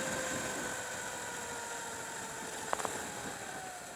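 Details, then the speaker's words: Sur Ron with Luna Cycle 219 primary chain kit after front sprocket re-shimming, chain previously loose: under regen braking only a faint smooth whine easing as it slows, no chain slap or clatter; drive now quiet. "see it's quiet now yeah yeah that's that is much a much better improvement"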